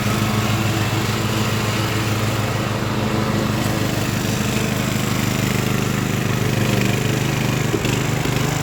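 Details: Craftsman LT1000 riding mower with swapped-in Briggs & Stratton engine, warmed up after a week unused, test-mowing tall grass with unsharpened blades: steady single-cylinder thrum holding an even beat, no misses or knocks; healthy under mowing load.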